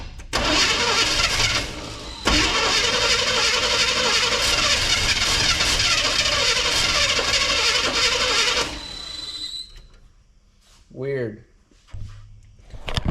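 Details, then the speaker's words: Abandoned square-body C10 with gas poured in the carb, cranked with the coil/HEI wired to battery positive: several seconds of fast cranking with uneven catches, then it falls quiet; fires only briefly on poured fuel. "It kind of runs. You couldn't see me over here, but I was cranking and I touched the coil so you can hear it."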